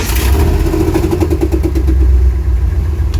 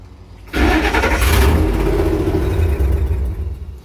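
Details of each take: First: 1954 International pickup on first start after rewiring; it had kept dying until the instrument cluster (passive anti-theft suspected) was plugged back in. The engine catches and settles into a steady, even low idle with no stumbling; sounds healthy. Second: 1954 International pickup during wiring tests with a passive anti-theft system module fitted: the engine cranks, catches, runs briefly, then dies repeatedly. Owner first suspected fuel pressure.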